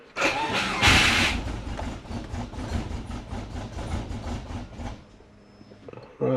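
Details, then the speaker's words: Subaru Forester, battery run flat then jump-started, fuel-wet plugs cleaned and TPS replaced with a wrecker unit that now reads properly: starter turns the engine over with a regular chug for about four seconds but it never catches. Crank, no start, cause not yet confirmed. "Why is the TPS going all over the place? Great. Now, it's not even starting."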